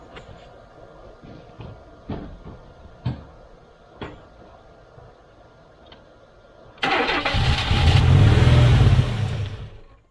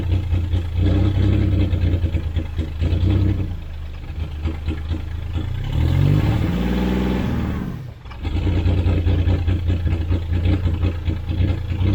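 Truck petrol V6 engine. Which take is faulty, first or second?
first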